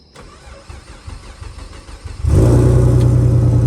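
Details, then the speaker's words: First start of a temporary replacement engine (original block destroyed) after refitting the fuel pump fuse, logged with HP Tuners: brief crank, catches, then a slightly lumpy, uneven idle. The owner suspects a vacuum leak, possibly the plugs; the cause was not found in the dark. "It's sounding like it has a vacuum leak. So as you guys can see, it's dark right now, so we can't really find where it's leaking from. But the car runs, you know, it's just running a little rough, and could be the plugs, whatever."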